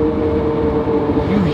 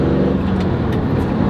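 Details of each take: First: Chevy Camaro SS SLP, manual, driven after 6 months sitting: harsh steady grinding growl from the rear when letting off, also with clutch disengaged; owner suspected throwout bearing or differential, after it stuck in gear; failed differential pinion bearing. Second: Chevy Camaro SS SLP at operating temperature, test drive after repair of a failed rear differential bearing (the one connecting to the driveshaft): steady engine drone and smooth road noise, no whine or growl from the rear axle; drivetrain sounds healthy.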